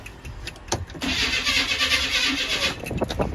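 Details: 2004 Chevy Tahoe 5.3, sat six months, charged battery, jumper ground added to computer: starter cranks evenly under two seconds but never fires; crank, no-start, no spark earlier, trouble codes unreadable, check engine light on.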